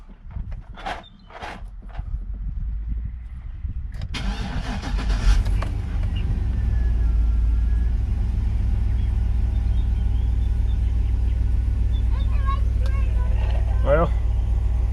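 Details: Cheap used work truck just after an oil change with a new AC Delco filter and Mobil 1: it cranks, catches quickly and settles into a steady, even low idle with no ticking or knocking; oil pressure gauge reads 40.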